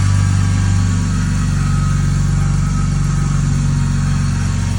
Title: 330 Ci E46 cold start whining noise